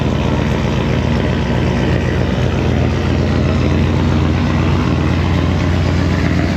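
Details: 2012 Silverado 1500 with swapped LY6 6.0L V8, BTR cam, lifters and valve springs, cold start before aluminum radiator install: loud, choppy, uneven lopey idle of the big cam, no clear leak tick.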